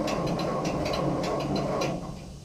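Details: 1947 Ford 8N tractor after replacing worn distributor rotor shaft with used part and refitting points: starter churns in quick steady rhythm a couple seconds, never fires, winds down; cause unknown.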